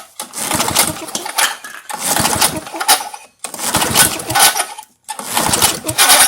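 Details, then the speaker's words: 1978 Tecumseh LAV50 5 hp small engine, pull start: four bursts, each catching a few ragged pops then dying; won't run, choke flap not closing from a missing linkage rod, plus a sheared flywheel key. "Wait, that said run, but it didn't choke for me. Ah, something's disconnected right there."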